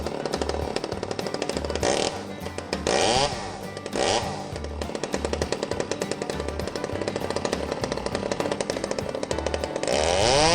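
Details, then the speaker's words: Old Stihl 009 chainsaw after carburetor cleaning, held at full throttle while setting the high-speed screw backed out slightly past the middle: high revs with a light burbling sputter; high-speed mixture just a hair rich. "I bring it to the middle and then I adjust it out normally just a little bit and tell I hear it's got a little bit of a sputter so I know that it's running just a hair rich"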